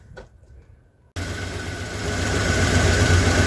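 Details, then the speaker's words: 1977 Ford F250 that sat 15+ years, retuned with new plugs, wires, cap, rotor and fuel pump, now with a swapped-in Edelbrock carburetor and a new fuel filter: V8 catches and settles into a strong, even low idle rumble with no misses or knocks. "it is running I'm gonna change that fuel filter a couple more times but there you go"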